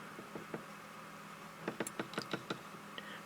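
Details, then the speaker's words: Zenith 6D-525 radio, tuning condenser being rotated: faint hum, then a quick run of dry scratchy ticks as the tuning dial rubs on the face plate; noise stops when the face plate is held aside. "dial is um it's still rubbing on that face plate so if i hold the face plate over like this you don't hear that noise"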